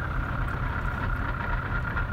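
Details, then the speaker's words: 2011 VW Polo GTI WRC: low idle note wavering and stumbling unevenly instead of holding a steady beat; rough idle, owner says engine is broken, cause not yet known. "You hear that rough? That rough idle? That sounds like you've got a bit of oomph going in there. Yeah, that does not sound good."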